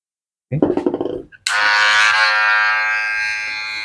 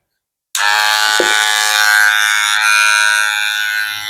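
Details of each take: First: Wahl Magic Clip cordless clipper after a motor repair, with grease on the cam and a foam damper added to cut noise: it runs with a steady, even buzz and no rattle. It is fairly quiet but not like new; fully quiet would need a new cam follower unit. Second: Wahl Magic Clip cordless clipper after motor (dinamo) service, starting at full speed with a loud, harsh, rattly buzz; power back to normal but noise traced to a dragging cam follower.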